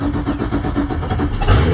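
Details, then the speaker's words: 2005 Sea Ray SEL with a 350 Mag engine, started briefly out of the water with no water supply, so run only shortly. Quick crank, then the engine catches and settles into an even rumble with no knocks or misses; normal start. "I'm not going to run it long. Shouldn't run them without any water cupped up, but it does start, does run."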